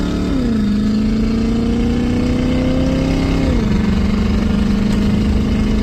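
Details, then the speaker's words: 1985 Mercury Marquis police interceptor 351 Windsor V8, automatic, posi-traction, timing 12°/36°, under load: deep note climbs hard, drops briefly at a shift around 3.5 s, then pulls cleanly; transmission leak and kickdown still to fix; healthy strong acceleration. "Oh yeah, it moves now. It has all the get up and go, all of it."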